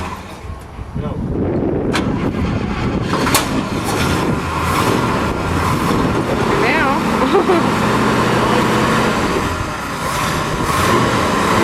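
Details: 1971 International 1210 3/4-ton pickup after a complete frame-off restoration, first run in about 20 years: engine catches and settles into an even, steady run under crowd noise, no knocks or misses; sounds healthy.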